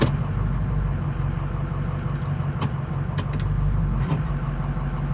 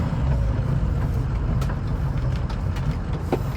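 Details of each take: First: 2006 Ford F-250 driven through the driveway on a cold day after warm-up: a few sharp clunks and creaks over bumps under a steady low engine rumble, from worn cab mount bushings, which were replaced with Energy Suspension bushings. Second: 2006 Ford F250 on the road with windows up, after replacing the cab bushings with Energy Suspension parts: only an even low road rumble over bumps, with no clunks or knocks; the only other noise is change rattling in the overhead console.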